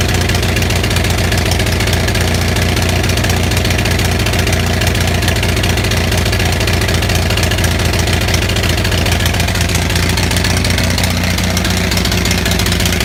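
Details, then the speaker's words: Onan 6500 (6.5 kW) gas commercial generator, no muffler; uneven, lumpy running with irregular low thumps, popping and backfire, spark present throughout; misfire from a severely fouled spark plug. "Okay, so if you just saw the video of this running like shit, I don't know if the backfire was coming out in the video. Sometimes the video doesn't capture that. But we just pulled out the spark plug here."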